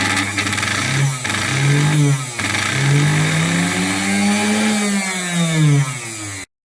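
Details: Singer 431 sewing machine, newly arrived with drive pin play: motor hum rises and falls in pitch with uneven speed surges and rough buzz; abnormal motor noise, cause narrowed down but unstated.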